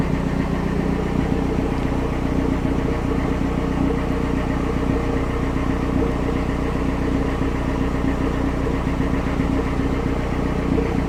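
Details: Toyota 3S-GE turbo engine (TEZZ) just started, idling with an uneven low thumping and rough, irregular beat under a steady drone; abnormal idle noise, cause not pinned down.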